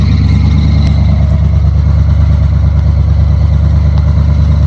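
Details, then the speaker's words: Chevrolet Scottsdale truck after new engine parts, distributor-area ticking now gone: a smooth, even idle sitting a bit high with faint squeaks from new belts in the background; running healthy. "Sounds like it's running much, much better."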